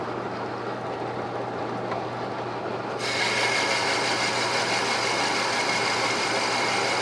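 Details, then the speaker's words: Manual lathe boring out a worn bandsaw wheel hub's bearing journal bore, about 0.050 in per pass: steady hissing cut turning fuller and brighter about three seconds in as the tool cleans up the full snap ring groove. "sounds like it just cleaned up that snap ring [Music] Grove"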